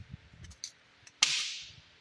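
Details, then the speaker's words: 2014 Nissan Xterra with about 130,000 miles, old passenger-side front hub spun by hand after removal: short gritty crunch bursts, rough and uneven; worn-out front hub bearing, less bad than driver side. "You can hear it. But uh yeah. Yeah, she got some squeakies in there. So yeah, that thing's toast."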